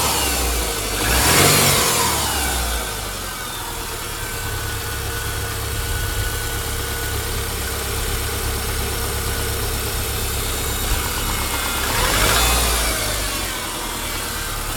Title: piston slap na zimnym?